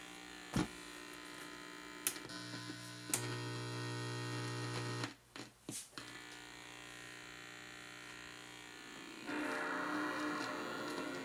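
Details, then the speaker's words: Rusted original Sony PS2 console connected to a TV before restoration: constant low ground hum through TV speakers, lessening when powered on, with faint disc tray clicks; mains hum, cause unconfirmed. "Il semplice collegamento provoca un ronzio negli altoparlanti della TV. Quando lo accendo, il ronzio sembra meno intenso"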